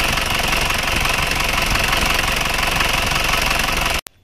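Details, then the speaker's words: Isuzu Panther diesel idling harshly with heavy clatter about four times a second and blow-by smoke from the oil filler cap. After teardown the piston ring gap measured 1 mm, worn rings; fix is a ring replacement. "Ternyata gapnya memang sudah lebih longgar ini ketemunya 1 MM sebenarnya 1 MM itu juga belum terlalu longgar sebenarnya"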